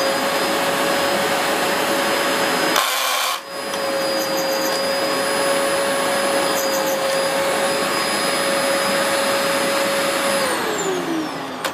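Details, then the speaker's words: Dyson DC04 upright after drive belt clutch replacement, on test: steady high motor whine with no brush roll sweep, motor running free; brush roll jammed, sole plate to be removed to find why. "that isn't working. Obviously it's jammed somewhere along the line. I've jammed the brush roll."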